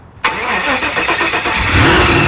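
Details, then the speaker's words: 1974 Jaguar (Draguar) after engine swap, first start: slow starter churning with rhythmic whirr, oil pressure comes up, engine catches into rough uneven run, blowing smoke, likely old oil in exhaust; carburetors need work. "there we go I got oil pressure sweet it's alive it's alive"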